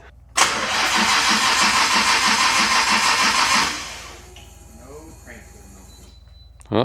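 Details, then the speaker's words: Nissan R33 GTR engine cranked with no coolant in it: starter spins the engine freely at an even three beats a second for about three seconds, but it never fires; not locked up, cranks but won't start. "Crank no go. No, it was not moving whatsoever."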